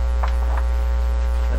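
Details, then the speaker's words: Canadian General Electric C701 console record player: a loud, steady mains hum with a scratchy layer in the phono output, persisting after grounding against one cable failed. The hum source is suspected to be a grounding issue, not yet resolved. "All that scratchy sound, all that stuff has to do with the situation here with so surprised I couldn't ground it away."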